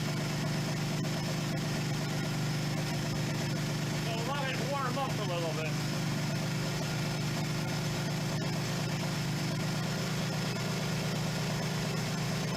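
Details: 1977 Suzuki GS550 four-cylinder, first start after two years stored: steady low idle with an even, unhurried beat holding level; normal cold warm-up idle, needs three to four minutes before riding.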